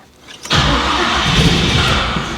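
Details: Chevrolet Monte Carlo V8, first start after build, oil pressure confirmed: starter spins at steady cranking roar about two seconds with no cylinders catching; cranks but won't fire, owner suspects it needs more ignition timing.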